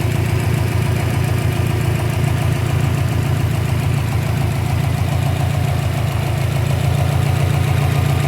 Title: 2012 Subaru Impreza WRX Engine idle popping noise - loose intake manifold